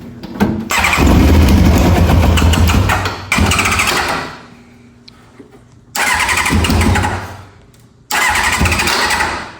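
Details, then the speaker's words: Four-cylinder track bike that won't start, cranked after an HT lead to coil B was replaced and spark was confirmed. Repeated few-second bursts of cranking with no catch. Owners suspect fuel delivery, and are unsure about cylinder 4. "So now it's going to try and run, and if it fires, then we're fine."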